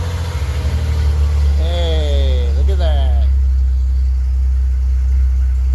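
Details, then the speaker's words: 1989 Chevy Celebrity, 205,000 miles, cold start the next morning after vacuum leak and idle repairs: smooth even hum holding raised cold-start fast idle without stumbles or surging; idle control working normally. "It is the next day, so let's, uh, fire it up and see how it runs. See if the cold start high idle goes up and comes down like it's supposed to."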